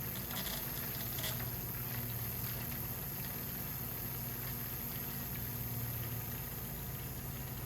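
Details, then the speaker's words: 1988 Lotus Esprit fuel pump draining bad fuel from the tank near empty: low steady drone with brief sputters as it gulps air and the hose convulses; pump sucking air, tank replacement planned. "Every now and then you can hear the pump pick up a little bit of air, and you'll see the hose kind of convulse as it has air go through it."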